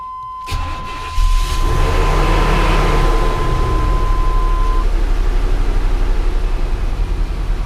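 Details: 1998 GMC Sierra 4x4, 5.0 305 Vortec, first start after new spider injector, plugs and wires and oil cooler delete, at night: engine catches and runs loud with high surging idle that won't settle; owner wonders if the new spider injector is the cause.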